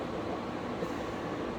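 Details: A PSC fan motor powered on high speed through a hermetic compressor analyzer gives a steady, even, airy hum with no knocks or rubbing. It runs smoothly and normally.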